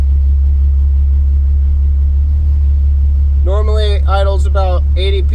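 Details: 1991 VW GTI with freshly swapped 24v VR6, cold just after start (coolant hoses not connected), oil pressure almost reaching 70 psi: deep steady idle rumble, even beat, no knocks or ticks; normal idle.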